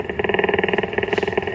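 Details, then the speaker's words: Ham radio in a car with the engine running: harsh rapid buzz throughout, which stops when the car is shut off; engine electrical interference, and a filter is planned. "I want to be able to use the radio with the car running. I can, but I hear this loud buzzing the whole time."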